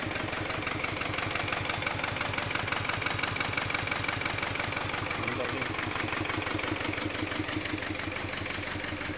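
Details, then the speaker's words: Kia Carnival diesel just restarted after timing belt replacement, intercooler not yet refitted and intake open: steady, loud diesel clatter at even idle about three beats per second, running smoothly; noise expected to quiet once reassembled. "Ingay kasi wala pang intercooler. Open mo yung intake, yan. Maingay talaga."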